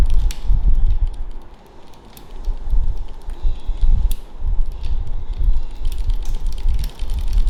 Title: Brompton clicking sound when in lowest cassette gear